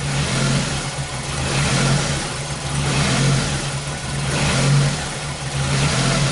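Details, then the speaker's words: 2001 Ford Focus Zetec, timing belt replaced 5–6 years earlier, new OEM coil fitted; uneven surging, sagging rough idle that never settles, misfire getting worse as the engine warms up; coil current looks fine on the scope. "man this actually gets worse as it warms up"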